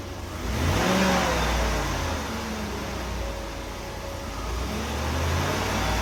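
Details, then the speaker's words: 1995 Oldsmobile Aurora after replacing a bad coil pack that caused a severe misfire and engine vibration; revs climb and settle smoothly through blips, firing clean and even with no stumble or popping; misfire fixed. "Yeah, it's hard to tell on camera, but it is really smooth now. There's no vibration. Before the engine would just vibrate."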